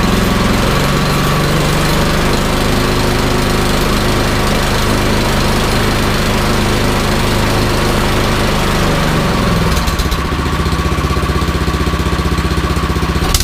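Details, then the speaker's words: Troy-Bilt Storm 2410 snowblower after repair of surging and rough running, started in garage with choke and prime: steady even beat, clean throttle change, no hunting or surging; normal running. "runs great runs great so i'm gonna wrap it up here and call it a night"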